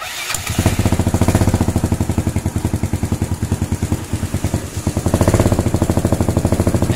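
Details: Yamaha Mio/Fino/Soul/Xeon-type scooter engine after adjusting intake and exhaust valve clearance: an even, steady single-cylinder putter that picks up slightly on the throttle, with no valve-train ticking, so the clearance is not too loose; healthy running.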